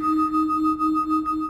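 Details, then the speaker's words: Tesla's normal reverse pedestrian warning sound: a steady two-tone hum lasting about a second and a half, then cutting off. "모든 자동차 회사 마다 후진 소리 가 있는데 , 테슬라 의 후진 소리 는 바로 " 부릉 " 입니다 ."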